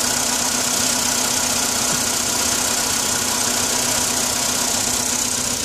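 Cold idle with a busy, clattery top end and a faint repeating tap near 158 a minute, a knock that should ease once warm.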